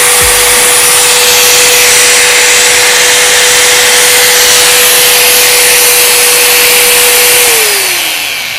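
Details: Bosch GWS 060 angle grinder (made in China), running free with no load; steady high whine at one pitch, then falling smoothly as it spins down; sounds fairly smooth and the gearbox stays cool, a healthy grinder.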